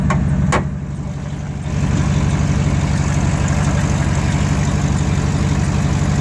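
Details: 2008 GMC Sierra 1500 Denali, L92 6.2L V8, resonator delete, cold idle; sharp fast puffing tick on each exhaust pulse under deep rumble from a leak right before the secondary catalytic converter, after the primary cats: exhaust leak.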